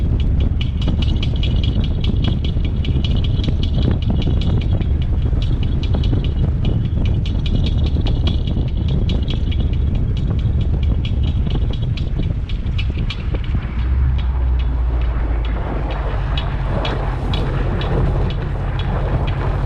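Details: Low-mileage 2014 Subaru WRX, engine running with a fast, dry rattling tick and light grinding over its hum; owner cannot locate the source of the squeak/grinding noise.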